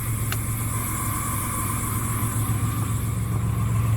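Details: 1994 Chevrolet S10 idling after distributor timing fix: constant high squeal over a smooth low idle, unchanging; AC condenser suspected of sounding horrible, belt-driven accessory squeak not confirmed.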